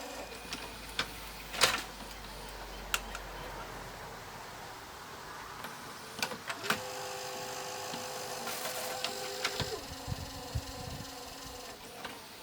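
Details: Panasonic PV-V4521A VHS VCR bought at auction, trying to play an Apollo 13 tape: thin motor whir with scattered clicks and a brief steady tone as the deck struggles; the mechanism isn't running right.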